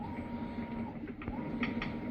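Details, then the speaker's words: Maytag washer MVW7230HC0 on a test station during the wash cycle: steady motor hum with an occasional sharp click from a worn clutch, which is then replaced; may also give F7 E4 errors. "so I've got the machine hooked up to my test station over here and during the wash cycle you can occasionally hear that clicking"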